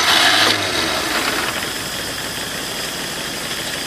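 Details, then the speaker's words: Ford Falcon sat all winter, battery put in, gas dabbed into the carb, fuel cell: starter churns steadily about three times a second without catching; extended cranking. "my need to dab more gas a screw it it's sucking it up let's just keep"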